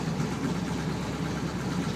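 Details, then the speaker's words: 1966 Impala barn find, sat about two years, started after a few pedal pumps: steady, low, deep idle with an even beat and no knocks. Owner thinks it runs a little rich; it smokes on one side, and a rebuild is suspected. "give it a few pumps few more pumps it actually fires and will run that sounds like it's little on gas there she"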